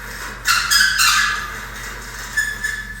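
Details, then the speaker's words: NOSSK Cyclone bodyweight suspension trainer pulley, lightly used: short squeaky friction bursts as the rope runs over the pulley; dry pulley, squeak went away after spraying WD-40. "There was some little bit of a friction or just like this squeaky noise, and I'll cut to a noise here."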